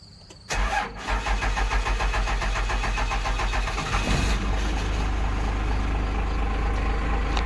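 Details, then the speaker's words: Cummins diesel dump truck, 127,000 miles, cold start: cranks, catches and settles into a slow, lumpy idle that seems too low; owner thinks idle rpm should be higher but is unsure; a little cold-blooded, blows smoke. "is a little cold blooded and it it idles really low I think maybe not they correct me in the comments if it's sort of run this low or not I don't I think it should run a little higher rpm that Idol personally"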